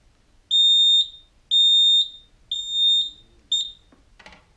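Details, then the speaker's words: Roma Sorrento mobility scooter with throttle fault code, after throttle potentiometer replacement: four even high beeps about one per second, reverse warning sounding because the pot moved off centre while tightening the grub screw. Reverse beeper from off-centre throttle potentiometer. "So it's not centered. As I was tightening that grub screw, it's moved."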